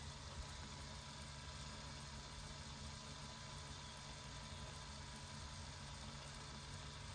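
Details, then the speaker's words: Cheap RC crawler gearbox (plastic versus all-metal Amazon units) running at constant throttle, meter reading about 49–50 dB: even whirring hiss with no knocks or grinding; gearbox noise normal. "Yeah, right in that 49 to 50 range. It's not a super accurate instrument."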